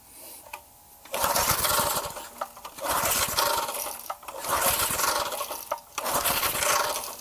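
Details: Garage-sale gas edger, choke on, fresh gas added, before carburetor removal and cleaning: repeated pull-start bursts of churning cranking with gaps, never catches; no start, cause suspected, not confirmed.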